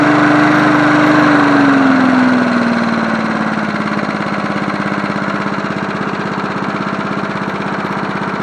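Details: John Deere NO20K push mower (1980s), after cleanup, final startup: engine pitch drops smoothly as it is idled down, then fires in an even, steady beat with no misses or knocks; normal idle.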